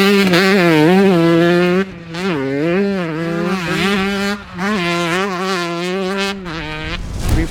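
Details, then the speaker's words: 2008 Kawasaki KX125 two-stroke after a refresh following about 105 hours without maintenance; crisp rasp climbing and dropping cleanly with throttle blips, no stumble or misfire; strong engine with no teething problems; normal engine running. "there's no teething problems at all with this engine this engine is strong it delivers the sounds good"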